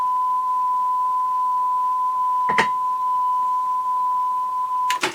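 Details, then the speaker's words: Sony TC-WR665 double cassette deck playing a 1 kHz test tone after swapping pinch rollers; pitch holds with no once-per-second wobble, confirming a bulged pinch roller caused the speed variation. "well that sounds reasonable hasn't got that once a second wble"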